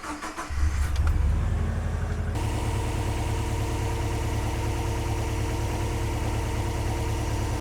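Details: 2000 Subaru Legacy EJ206 wagon after alternator and belt replacement with idler pulley retightened: cranks briefly, catches cleanly, then settles to a steady, even idle with no squeal or chirp from the belts; all normal.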